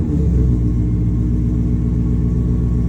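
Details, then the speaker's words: 1973 Ford F100 XLT Ranger swapped with a Gen 3 Coyote V8, custom headers and Borla exhaust, just started: deep steady burbling idle with an even firing rhythm and throaty rumble; healthy and smooth. "that's that gen 3 gen 3 coyote and it sounds absolutely fantastic with those custom headers and borla exhaust on it"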